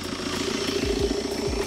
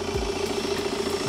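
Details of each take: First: 2016 BMW F22 2 Series salvage car after frontal impact, intercooler missing: loud airy rushing over the idle with repeated sharp whooshes like a dump valve; turbo clearly heard, engine otherwise sounds good. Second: 2016 BMW F22 2 Series salvage car after a frontal impact, intercooler missing so it blows air like a dump valve: a steady, even idle hum with a faint turbo whistle and no knocks or misses. The engine sounds normal.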